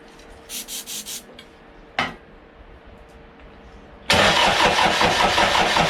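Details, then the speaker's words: Toyota 1KZ diesel in a YN65 Hilux conversion, rebuilt starter with new brushes: a few short bursts then long steady rhythmic cranking, never firing; cranks, no start. "So that seems to be cranking over a shitload better than it was."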